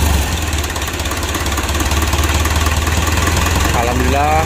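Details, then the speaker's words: 2012 Mitsubishi Pajero Sport Dakar diesel just after engine rebuild, first start: clattering lumpy idle then wavering tone as it falters and stalls; fuel not yet pressurized in rail and hoses. "Putaran pertama berhasil, lalu mati lagi, mari kita putar lagi . Ya, seperti biasa, bahan bakar belum bertekanan di dalam rel dan selang."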